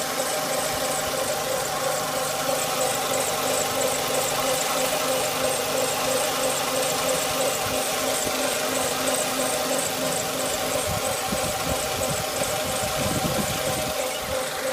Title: Weird Engine Noise